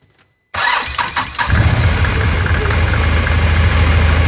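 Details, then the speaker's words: ATV's first start after the UATV-tech primary clutch mod install and one-way bearing service; engine catches after a brief crank and settles into an even idle with no clutch rattle or chatter, normal clutch operation. "as you back it up you can hear the one way clicking it's going the right direction"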